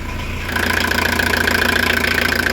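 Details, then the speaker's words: Diesel camper van at the end of its restoration, just fitted with a new engine radiator and battery reconnected. After glow-plug preheat it cranks, catches and settles into an even, steady clatter with no misses or knocks; idling normally. "donc ça y est je rebranche la batterie et pour va pouvoir démarrer le moteur allez préchauffage et démarrage je suis trop content franchement"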